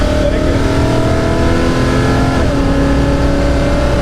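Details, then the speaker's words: '69 Dodge Charger big-block V8, lambda under 14, slightly rich; hard full-throttle pull with clean rising roar through a gear change, no popping or stumbling; now pulls through, normal. "Maar ja! Het is gewoon een andere auto gast!"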